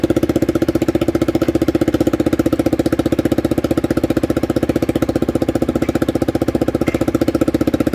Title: cbr exhaust leak.